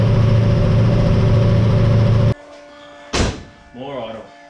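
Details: Ford XG ute V8 just fitted with CNC ported heads and VCM 13 cam, first run on old oil: deep steady even low rumble for a couple of seconds before shutting off; running cleanly.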